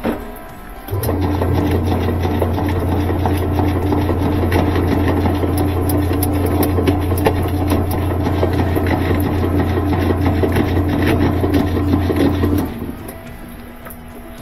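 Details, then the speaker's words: Admiral top-load washer, empty, agitating in wash mode: steady motor hum and even back-and-forth churn, no knocking or grinding; previously noisy agitation and one-way agitator movement, needs agitator dogs. "I don't hear it I don't hear a bad sound doesn't sound bad"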